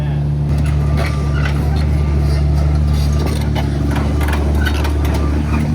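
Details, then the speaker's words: Worn excavator with diesel engine and turbo spool, all pins bad and a wobbling turntable: deep drone with gritty grinding bursts as the bucket and arm lift, instead of the normal even ticking; cause not confirmed. "you know how normally excavators sound really nice so they tick tick tick tick tick this doesn't do that yeah that grinding is also another thing to listen for"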